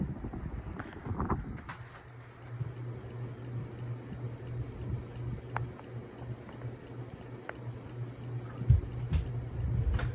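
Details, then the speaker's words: 1980s Supreme Mark VI ceiling fan, stored boxed for 40 years, running on high speed: steady low motor hum with sharp ticks every second or two; its bearings are noisy, and the owner suspects a loose or badly cut zip tie inside the motor. "I'm sure you can hear the ticking sound."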